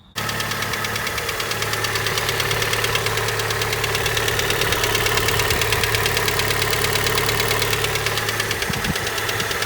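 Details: Honda Prelude engine that had been burning oil, idling: steady tapping about three knocks a second over the drone, first thought to be head or cam noise; teardown found piston slap, with no pressure holding the wrist pin on one side.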